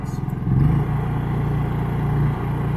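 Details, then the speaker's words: Inverter generator powering a 30 amp RV at full throttle with no heavy load (lights, battery charging), quiet enough to talk beside: a smooth, steady hum at high speed with no knocks or surging, normal running. "We can still have a conversation right here next to it. Full throttle with no heavy load."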